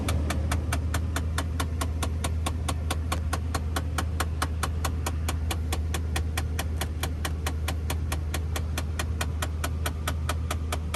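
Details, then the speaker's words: 2008 Nissan Titan just switched on: rapid, steady clicking from behind the glove box over a low idle hum, the HVAC fresh-air (recirculation) door repeatedly slapping. "me show you how to fix that so that clicking noise we just heard is coming from behind your glove box it's the uh fresh air filter"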